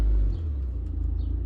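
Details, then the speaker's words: Toyota Previa van with P0171 code, idle previously adjusted: holds a high 1400 rpm idle after revving, louder rumble easing down into steady normal idle once put into gear. "It likes to idle at 1400 RPM until you put it into gear. So if I do this, if I put the car into gear,"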